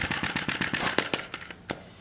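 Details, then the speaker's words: Sai Hu V1-45 flame-licker vacuum engine with brass cylinder and piston, cylinder still warming up during start attempts: a dozen sharp pops at about eight per second, slowing and dying out. It fires but won't sustain; flame size and position are being adjusted. "I've been doing this for a few minutes I reach back here on the cylinder I can feel that it's warming up we're getting very close to running"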